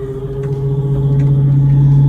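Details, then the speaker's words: GE Profile French door refrigerator, model PFE29PSDASS, loud steady low buzzing rattle from the failed damper fan assembly feeding the bottom chiller drawer, not the evaporator fan; fixed by replacing the damper fan assembly. "that is the noise that is making that you have to verify if it's coming from the uh um refrigerator evaporator fan motor or the um bottom drawer on uh refrigerator damper and fan assembly."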